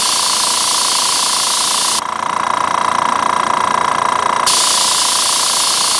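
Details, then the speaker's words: Master Airbrush TC-40T compressor with tank, regulator set at 30–35 psi, feeding a Paasche airbrush: steady even motor hum with hiss, no stalling or labouring; runs normally and holds about 30 psi. "Yeah, it seems to be able to stay at 30. It may be able to stay higher, but I think that's what the advantage of the tank is, that it will stay at 30 psi, 30, 35, as long as you want to keep it there."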